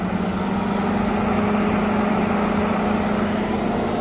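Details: 2021 GMC Sierra 1500 3.0L Duramax diesel in cold weather after using block heater: steady loud rushing roar with low hum, radiator fan stuck on high, only stops when engine off; block heater suspected of confusing ECU.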